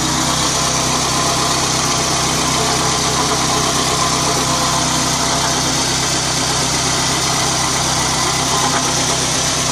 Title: Bad water pump?